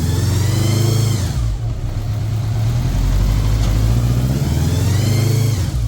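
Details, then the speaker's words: 1983 Honda GL1100 Gold Wing, revived after 9–10 years in a barn, choke off while warming up: a smooth deep burble that rises cleanly on each throttle blip and drops back evenly, no misses or clatter. Normal running; carb sync planned. "I mean that motor sounds very good nice and"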